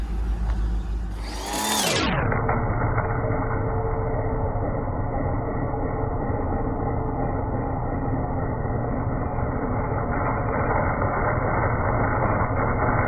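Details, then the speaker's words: Cheap Land Rover Discovery II bought from a farm, check engine light apparently deleted: steady idle with a constant whir once the clutch pulls in; AC compressor engaged and running normally. "i hear the i hear a compressor hold on a second"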